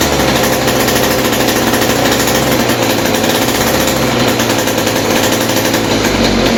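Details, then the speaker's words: West Bend 580 two-stroke engine after cleaning the carburetor and reed valves and fitting new gaskets, run with no choke and the mix screw 2 turns out. A rapid, regular popping beat holds steady without stumbling, a normal idle. "Alright guys, finally this engine is running again and idling. So I guess cleaning the carb and the reed valves did the trick."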